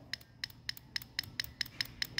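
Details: Car ABS hydraulic unit removed and bench-tested: individual solenoid energised, crisp regular clicks about four per second, each sharp and clean; this solenoid beats properly, unlike others found faulty with blocked fluid passage.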